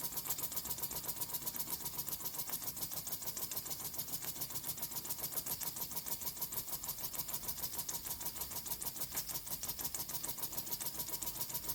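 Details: Vintage Mamod steam traction engine, stored over 40 years and cleaned up; fast, light chuffing ticks of about three or four a second over a background hiss. The small steam engine runs freely and evenly. Normal running.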